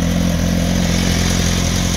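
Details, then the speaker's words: 2006 Kawasaki ZX-10R, first start of the day: even crisp four-cylinder idle blipping up and back cleanly, no smoke, rattles or knocks; engine healthy. "let me start it for you so you can kind of hear it [Music] you know smoke there's no issues with no engine rattles"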